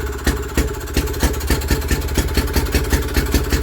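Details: Villiers WX11 stationary engine, first start after carburettor work, cold start setting, points cover off: steady even thumping of about three or four firing beats a second with no misses; running properly.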